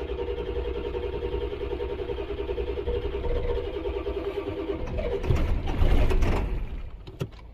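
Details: 1999 Ford F-250 7.3 Power Stroke diesel after repairs, previously cutting off after about 10 minutes, now building high-pressure oil faster: steady starter cranking about five seconds, then it catches with a deep rumble and keeps running; starts normally.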